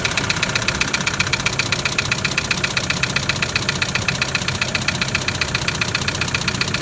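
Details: Toyota Land Cruiser LC120 diesel: loud, sharp metallic tapping about four per second over steady idle, hard and regular; severe engine knock, suspected piston damage, not a holed piston.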